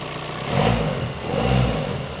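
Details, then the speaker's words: 2017 VW Transporter T5 diesel after timing belt failure and replacement with a brand new engine, first start: fires up and settles with two smooth rev swells, no knocking or rattling; sounds healthy. "That is sounds a lot sweeter and will start a lot quicker."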